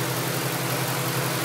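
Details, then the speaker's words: 1998 Mustang GT V8 after replacing the IAC valve to cure idle surge and base idle: steady, even low rumble with no hunting; revs come down automatically from 3,000 without stalling; surge fixed. "Is that coming down faster? It doesn't stall at 3,000. It automatically comes down. It automatically comes down? So it looks like we might have fixed the problem here with this $45 part from AutoZone. IAC valve."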